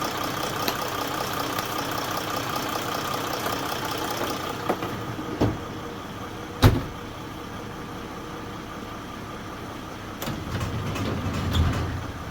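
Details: Warm idle of a Mercedes OM642 diesel in a Jeep WK Grand Cherokee CRD after a timing chain tensioner replacement, first start after about 15–20 minutes: quiet, even idle with no chain rattle or slap, just a few handling clicks; healthy.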